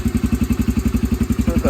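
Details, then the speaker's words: Yamaha TTR125 idling after carburetor jets clogged by old jellied ethanol gas were cleaned, fuel on reserve: steady, even single-cylinder thumping about eleven beats a second, no missing; runs cleanly. "seems to be running good"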